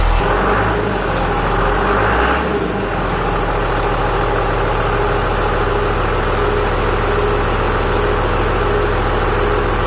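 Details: 2001 Cummins turbo diesel in a 1952 Dodge M37, first start idle: diesel clatter with a faint constant whistle from the A/C compressor, clutch stuck always on, blowing through open lines; clutch later freed.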